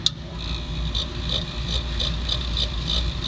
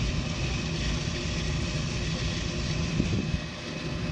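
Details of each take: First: Harbor Freight rotary rock tumbler after new belt fitted and motor pulley moved to align it: high chirp repeating about three times a second over a low motor rumble; the loose drive belt slips on the pulley, to be tightened by sliding the motor. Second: Harbor Freight rotary rock tumbler after loosened motor screws were found and motor slid forward to tension belt: soft, even low rumble, no slapping or squeal, steady barrel churn; much quieter, though owner thinks it may tumble slower.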